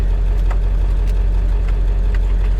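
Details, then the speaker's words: 1999 Ford F250 Super Duty 7.3L turbo diesel, just started with AC running and no check engine lights: steady, deep, even diesel rumble with no knocks or misses. Normal idle. "gotta love the sound of a diesel. You really do."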